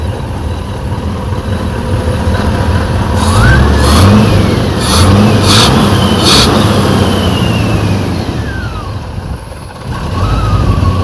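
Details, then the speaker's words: Rover SD1 3500 Vanden Plas V8, revived after about 10 years: steady burble with throttle blips rising and falling cleanly, no misfire or knock, despite fuel pump overfeeding into carb overflow; runs sweetly, normal running. "so obviously the fuel pump is actually pumping too much feel but he's running it sounds sweet you know top n Lakes smooth as you like"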